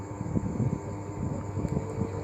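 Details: Samsung 11 kg top-load washer WA13WP, repaired for IE water error; 4-minute spin test after repair: even motor hum with steady low drum rumble, no knocking or scraping. Normal spin cycle.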